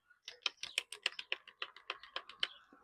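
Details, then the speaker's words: Cordless battery edger that stopped working, tested with a fully charged battery: about a dozen sharp dry trigger clicks with no motor hum; the motor does not run although the battery is not dead, and the owner suspects rusty terminals. "no trabaja. No hace nada, como que si se mira como que la batería está muerta, pero no está muerta."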